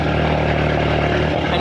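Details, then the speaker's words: Audi TT with an Arduino fuel pump controller, warmed up, with a big exhaust: loud, deep petrol idle that starts stumbling as pump speed is lowered below about 150, the minimum, starving the engine and causing a rough idle. "hear you hear they're starting to idle rough you want to get it back up there so about 150 that's the that's the minimum we want to be running this at uh any lower she starts giving headaches"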